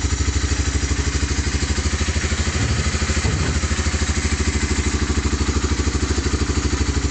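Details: 1988 Honda Fourtrax TRX300 2x4 engine at idle, low on fuel: even, steady single-cylinder thump about three beats a second, no knocks or misses, no smoke; healthy idle.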